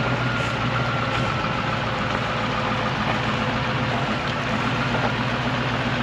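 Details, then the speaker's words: 1991 Range Rover Classic Hunter, unused for years, driven toward the shop; engine labours at low steady revs, flat strained drone with no pickup, stalling every 25 feet or so. Loss of power under load. "Always trying to give up, Joe. It might take a bit, but we're making it like 25 feet at a time."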